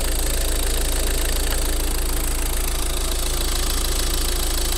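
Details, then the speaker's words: Used Ford Focus (third generation) engine idling during pre-purchase inspection, unwashed engine bay: steady idle with thin high whistling squeal over regular pulsing chatter; belt tensioner pulley slipping, described as dying sounds. "Не знаю, слышно, не слышно. Ролик натяжной ремня буксует. Ё-моё, какие-то истошные умирающие звуки."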